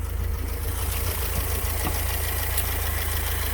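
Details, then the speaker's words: BMW E30 Touring with a 4-cylinder 1.6-litre engine of about 100 hp: a steady, even idle with a soft regular pulse and no knocking or ticking; it sounds healthy and idles normally. "Okay, let's look at this engine and listen to it. This is a 4-cylinder"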